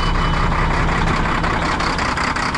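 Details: Mack dump truck just started in brutal cold, 16°F: steady high buzz of the low air pressure warning over a loud, rattling cold diesel idle with 60 lb oil pressure, sounding before the brake air builds up.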